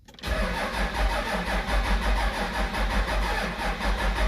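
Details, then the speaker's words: Gen 2 Dodge Ram 2500 12-valve Cummins during a Banks Twin Ram install, starter terminal recently cleaned. Steady slow starter cranking, about one beat per second, engine not catching; it is cranked with injector lines loose to bleed air until fuel squirts. "what we're gonna do is we're gonna get in the cab we're gonna crank it over until we see some fuel start to squirt then we'll come over and tighten the lines"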